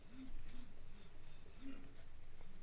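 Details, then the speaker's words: Electric scooter/e-bike disc brake, wheel spun by hand: quiet in one spot, then a soft rhythmic scrape each turn where the disc rubs the pad; the disc is bent in two spots. "As you can hear, there is no scratching sound, so here is okay. But over here, we've got some scratching sound."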